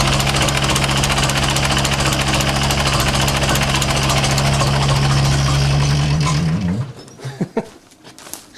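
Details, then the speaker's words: 1960s Massey Ferguson 165 tractor with a troublesome carburetor that only keeps running on full choke and wide-open throttle, battery getting low: steady loud drone with a low throbbing hum until it cuts out; source unknown. "I don't know what that sound is. If you can hear that loud humming sound in there."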